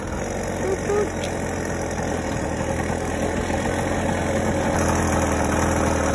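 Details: 50cc single-piece-jug two-stroke motorized bicycle engine, about 3,000–4,000 miles, cold day, just richened after the clip was moved, ticks over at a steady, even idle with no misses or surging; healthy normal idle.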